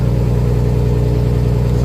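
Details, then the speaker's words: Turbo Nissan RB25 on E85 with small camshafts, a Plazmaman throttle body and a programmable aftermarket ECU, with no idle control valve. First cold start of the day, temperature rising from 15° to 16°: deep, steady, smooth idle with no hunting. "That is literally first start, first crank for the day. We haven't started it. Computers are 15°. That's 16. Temperature's starting to come up."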